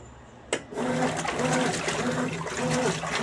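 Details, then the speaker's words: Consul 12 kg washing machine after leak repair, drain pump test: a click, then steady gurgling rush of water with low pump hum; drain working normally. "aí funcionando tá aqui eu segurando na mangueira aqui ó certo drobado irara beleza a vegetação Tá OK tá indo tudo corretamente não tem nenhum problema tá tudo de bom"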